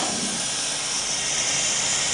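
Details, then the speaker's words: Verteq 1800 spin rinse dryer after dry cycle, uprighted, door panel kicked: loud steady high nitrogen purge hiss, even throughout, blowing harder than the first time; cassette warm, substrates dry, normal. "You can hear the N2 blowing out much more aggressively than it was on the first time because we just finished the dry cycle."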